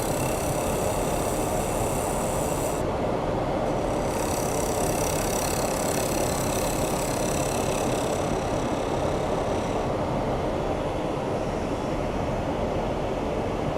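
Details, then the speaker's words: Workshop dust collector running during woodturning, after the owner modified it to make it quieter: a steady, heavy rushing roar with a hollow, watery, toilet-like churn instead of clean white noise. The sound comes from air leaking through extra opened ports. "why it should sound like kind of white noise that's that's what's the dust collector's doing it's funny because i was trying to make it more quiet and it made it sound like a toilet"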